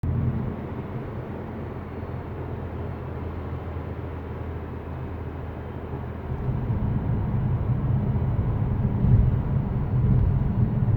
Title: Mazda 3, 2020, G150 AT - buzzing noise